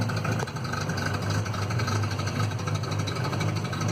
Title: Citroen Visa 11 RE with an exhaust leak